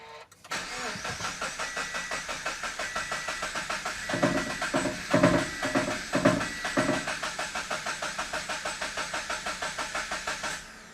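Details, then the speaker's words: Salvage Subaru BRZ that had run once before: starter cranks at a steady four beats a second for about ten seconds but the engine never catches; check engine light on, fuel present, owner suspects something left unplugged. "What did we do? Why? Why are we not starting now? What did I forget to What did I unplug? Or what did I forget to plug in?"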